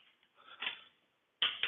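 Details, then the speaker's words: Truck wheel lug nuts being retorqued with a torque wrench, working around from the top: sharp, crisp successive snaps as the wrench breaks over at set torque. "That's the sound we want right there."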